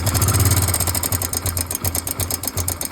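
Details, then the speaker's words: Hero Glamour motorcycle engine at idle: rapid metallic ticking about three per second over the low idle thump, steady with the engine; cam chain tensioner failed, so the timing chain is not kept tight. "चलते अचानक से इस तरह का sound दिखाई दे तुरंत आपको किसी नियर मैकेनिक को विजिट करना है। उस टाइम होता क्या है? टाइमिंग ट्रेन का जो एडजस्टर है टेंशनर यह फेल कर जाता है। जिसके वजह से टाइमिंग टन टाइट नहीं हो पाता है।"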